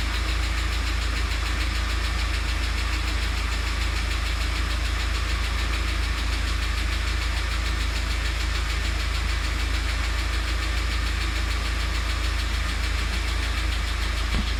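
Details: UAZ Patriot at idle: quick, light tapping about four times a second rides steadily over the idle, keeping pace with the engine; noisy hydraulic lifters.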